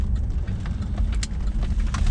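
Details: 2006 Buick Lucerne with new plugs, wires and coil packs, check engine light on: idle rumble pulses unevenly and stumbles; cylinder misfire, fixed by replacing the faulty ignition control module.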